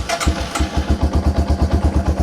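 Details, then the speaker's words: Yamaha TW200 single-cylinder engine, cold, vacuum test port plugged so there are no leaks, starting at once without choke and settling into a steady thump. This is normal running; with a vacuum leak it would not start. "No choke or anything, and it starts right up."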